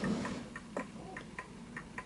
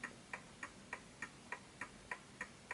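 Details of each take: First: Smiths Enfield oak pendulum mantel clock deliberately set on an uneven surface: faint, unevenly spaced tick and tock, slightly off centre, then it halts; clock out of beat. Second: Smiths Enfield oak pendulum mantel clock after nudging the case left and right to its level spot: crisp tick-tock, each beat evenly spaced in a quiet room; in beat and healthy.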